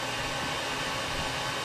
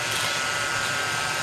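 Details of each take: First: 1934 Bell & Howell Filmo Model 57 projector, an auction find, projecting old film: a loud, steady, even whirring clatter throughout. It is running normally, just very loud. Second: 1934 Bell & Howell Filmo Model 57 projector running in forward with the film drive gears not engaged properly: a harsh, fast buzzing clatter with a thin steady whine over the motor hum. Misengaged gears like this can burn up the film.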